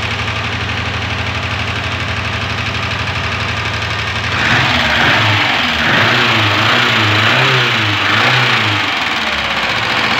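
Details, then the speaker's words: 1999 Renault 19 that overheated badly in traffic, at idle: a regular knock about four times a second. The engine smokes; owner checks for broken piston rings, cause unconfirmed. "Herkese hayırlı cumalar olsun aracımız hararet yapmış motordan ses var"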